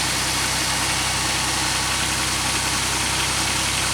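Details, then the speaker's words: 2003 Pontiac Grand Am with a misfire traced to an injector issue, first start after the repair and reassembly of the power steering pump and cruise module: steady, even idle with no stumble; running smoothly, much better than before. "Alright, let's start it up. Huh, sounds better already. Wow. I want to know how that even happened. Oh, much better."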